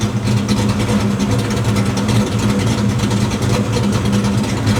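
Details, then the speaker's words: Ford Fox body V8 with stepper idle valve conversion, during idle tuning with timing correction restored: deep, even idle with steady beat, no hunting or dipping to the 600s; idle holds target tightly. "We can see that we're maintaining our idle target much tighter."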